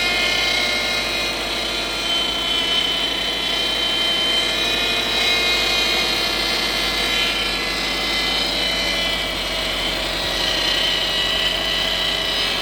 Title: Гудит ГУР импреза 2007